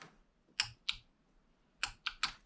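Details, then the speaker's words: 2014 Nissan Rogue VVT oil solenoid, removed and bench-tested with direct power: sharp crisp clicks in quick pairs on each energize and release, no sticking or buzz; known-good control unit, normal operation. "all right that one seems to work pretty good all right so this one here seems to well that's kind of our control we'll know what they're supposed to sound like"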